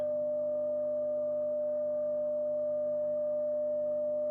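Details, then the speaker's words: Telefunken Gavotte 55 tube radio after recapping, bass and treble controls adjusted: steady test tone over a constant low mains hum; source unknown, suspected tube or lead dress. "g working but the hum is not acceptable now why would that be well could be the tube no i'm just rocking the tubes just wondering what could be the cause of so much hum"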